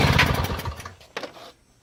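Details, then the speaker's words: Free Toro CCR 2000 snowblower, thought to be from the 1990s, 2-stroke 4.5hp Suzuki with Mikuni carb, 50:1 mix: primed, choke out, a few quick chuffs that fade without catching; cranks but won't start, smoke suggests spark, owner suspects flooding, fuel vent valve or key switch. "Well, the choke is out. I hope I'm not flooding with all this priming. But there's smoke coming out, so it looks like there's spark."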